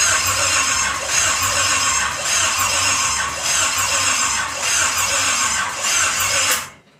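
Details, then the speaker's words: Pontiac 350 V8 in a 1950 Pontiac gasser with 6-speed, first fire-up with headers on, spark seen at coil and fuel supplied: long steady rhythmic cranking whirr, no firing; cranks but won't start. "Alright guys, the timing was 180 out, so we actually just flopped that, cut everything."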